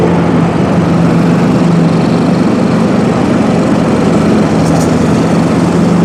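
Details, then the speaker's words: John Deere riding mower with a Kohler Command engine, earlier a no-start with the anti-backfire solenoid stuck from bad gas; after the carburetor fix it gives a smooth, steady drone with no stumbles. Normal running. "So I didn't put everything back together there. Close enough, we can try it out. Sounds better now."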